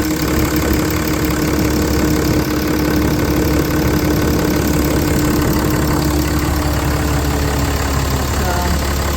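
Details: Ram 3500 idling after heater core supply hose replacement, left running to build coolant pressure: loud, steady idle holding even speed with no knocks, misses or surging; belt looks good, engine healthy.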